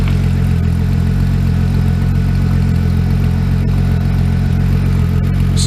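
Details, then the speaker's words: VW Corrado on its first startup in years (build begun 2014, motor nearly blown two Januaries earlier), cranked a while then left idling, warm: steady low rumble with an even beat, no knocks or misses; sounds healthy, normal idle. "sounds healthy."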